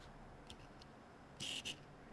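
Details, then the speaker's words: Sony FE 50mm F1.8 lens on an α7 IV (33 MP) body, quiet room: brief scratchy, creaking "gishigishi" buzz as the autofocus drive motor focuses for a photo. The AF drive noise is noticeably loud on this lens and across the F1.8 series. "我觉得你应该能听到，这种稍微有点“嘎吱嘎吱”的驱动声，在这款镜头上会显得比较明显。"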